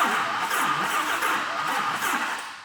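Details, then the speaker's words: GMC Typhoon first start after engine rebuild, on jumper cables due to cranking issues: steady, fast, buzzy cranking that never catches; with a jump pack connected it later starts and runs fine. "all right we got a bunch of jumper cables going on here we're having cranking issues ah it's no good"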